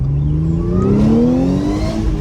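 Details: B8.5 Audi S4 3.0T supercharged V6, manual, with the stock intake and stock exhaust, stationary blips: a clean supercharger whine climbs in pitch with each throttle blip over the engine note; normal.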